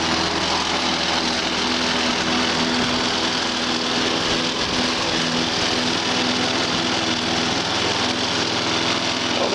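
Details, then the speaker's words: Walk-behind lawn mower after new air filter, spark plug and drained fuel, running steady and even without misses or surges; normal running. "We're going to fire it up one more time and do some mowing with it."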